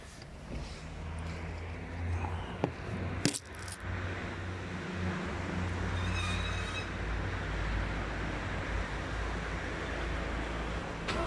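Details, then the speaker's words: Skoda Fabia Mk1, morning cold start, phone outside car, after starter removed, greased and brushes replaced: short clean crank with no grinding or screech, then even idle; the noise after starter disengagement is gone. "uh huh so i hope you can hear it that the sound is gone and um yeah so let's consider the starter repaired everything seems to be fine it's not making that sound anymore"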